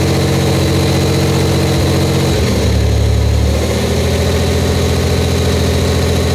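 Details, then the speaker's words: Buick Grand National, freshly rebuilt engine on first start, fired first try: steady even fast idle with a brief dip in revs before settling, exhaust slightly loud from an untightened down pipe; no leaks, running normally. "looking pretty good no leaks No Mess anywhere we're doing good they're fired right up first shot I'm impressed with that"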